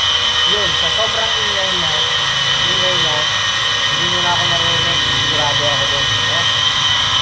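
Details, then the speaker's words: Household water pump running with a loud, steady hissing roar and thin high whine; rusted bearing, likely flooded by water leaking past a poor mechanical seal, before replacing the bearing and mechanical seal. "Yan, nakakaya ang ingay niya, no? Nagpapaandar ka lang ng water pump, pero nakaka-istorbo ka na sa kapitbahay mo."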